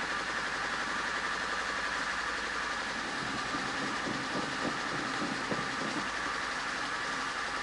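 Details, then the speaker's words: VAZ 2110-12/Priora 124 16-valve engine after head rebuild: uneven stumbling idle with loose tapping rattle; still misfiring after ignition coil replaced, owner suspects a bad spark plug; knock persists, oil pressure about 1.8–1.9 after warming to 90°C. "Ну, в общем, катушку заменила, все равно троит. Я не пойму, что делаю."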